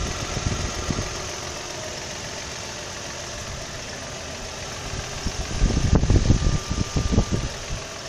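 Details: 2003 Nissan 300GT warm engine around 2000 rpm: loose, uneven knocking that swells into heavy slaps near the end; knock/slap occurs only when warm.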